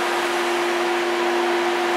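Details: 2003 Chevrolet Impala, electric radiator fan commanded on during fan relay tests. Airflow rushes evenly with a steady mid-pitched motor whine and no ticking or scraping. The fan is running normally.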